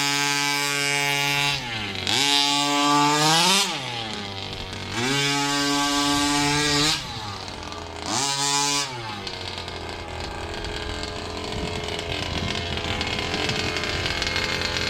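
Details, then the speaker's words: Rovan 2-stroke in a King Motor Baja 5B with a Fury 23 pipe, somewhat warmed up: three rev bursts whose pitch climbs lazily before screaming, then drops back to idle. Throttle response off the line is sluggish, not the instant pull expected. "But still, you can even hear that pull away. With this pipe Fury 23, it should be instant, should pull away lacquer."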